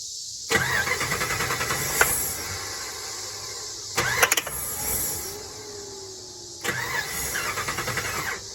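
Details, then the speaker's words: 2006 Dodge Ram 1500 Mega Cab after fuel pump replacement: starter fluid sprayed in intake, three crank bursts each catch with brief rough firing then die; won't keep running. Owner suspects fuel delivery, possibly regulator; new pump didn't fix it. "You guys can see. So to me, the way it's wanting to start when I spray starter fluid in it is still got to be a fuel delivery issue, I feel like."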